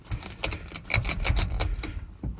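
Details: Vehicle with a reasonably new battery, being jumped from a donor truck: rapid irregular clacks, about four or five a second, no cranking; starter won't engage.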